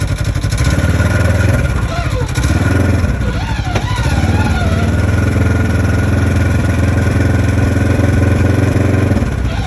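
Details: 2015 Polaris RZR XP4 1000 with Packard turbo and Boondocker clutch: engine rumble with a high whine sliding up and down on deceleration, persisting after new belt and cleaned sheaves; cause unknown.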